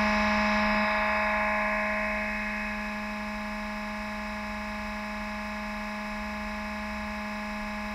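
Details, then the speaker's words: BMW X5 E53 (also seen on E39) climate control unit: the small fan built into the panel makes a steady buzzy hum with low drone and faint rapid flutter when temperature is lowered; fan wear suspected. "неисправность заключается в том что вентилятор который встроен в блок климата начинает издавать посторонние звуки при понижении температуры"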